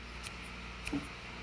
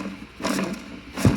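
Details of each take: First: New clutch release bearing for an air-cooled Porsche 911, hand-spun before installation: near silence with low room hum and faint light ticks, running quiet and smooth. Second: Porsche 911 (air-cooled) old clutch throw-out bearing spun by hand off the car: two short gritty, growling whirs from worn bearings; replaced with a new, quiet one during the clutch job.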